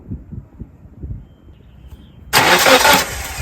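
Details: 1997 Nissan Sentra/Tsuru engine, spark tester on ignition wire number 1, steady loud churn of the starter turning it over without firing; cranks but won't start, ignition system problem suspected.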